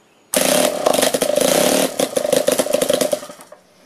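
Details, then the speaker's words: Weed eater two-stroke engine being converted to steam, fired up with no load attached yet: a sudden start into a fast, ragged, surging, stuttering buzz, racing out of control unloaded. "so that's it running it's a little out of control because it doesn't have a load on it yet"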